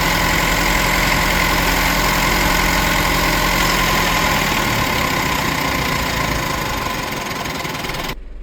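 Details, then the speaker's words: Mitsubishi Pajero Sport diesel during scan-tool small quantity (SQL) injector learning, with fuel pressure fluctuating, bonnet open: even idle clatter at three to four beats a second, easing slightly; normal idle during learning. "So as you did see engine sounds variation and stuff."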